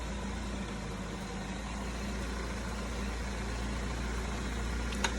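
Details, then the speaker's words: 2016 Ford Fusion after removing rocks stuck in the front brakes that caused screaming, rotor slightly grooved, slow test drive: low even rolling rumble with no squeal, scrape or grind; brakes now quiet. "That sounds better. Pull her on up, make sure she's good."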